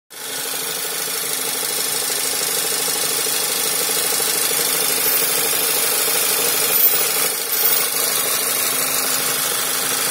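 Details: 2012 Skoda Superb II 1.8 TSI CDAA petrol, first owner, 112,500 km, idling with a faint low hum and a busy, hissy, ticking top end, an abnormal strange sound.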